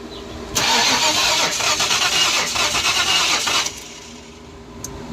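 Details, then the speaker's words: 1994 Mustang GT convertible with a crank-no-start problem, distributor reinstalled after resetting to top dead center: about three seconds of harsh, hissy, uneven cranking at roughly three turns a second, never firing; it drained the new battery; cause unclear. "That doesn't sound good. Sounds horrible. Try again. Try again. Sounds worse than it did before."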